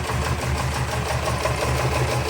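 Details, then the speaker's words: 1979 Porsche 924, first start after sitting untouched for a few years: uneven, clattery idle with occasional stumbles, almost diesel-like; it has a miss and needs a tune-up, and coolant is leaking. Rough idle with misfire, cause suspected. "I mean she's got a miss and she needs a tune-up. It's going to die, but it lives. Almost sounds like a diesel."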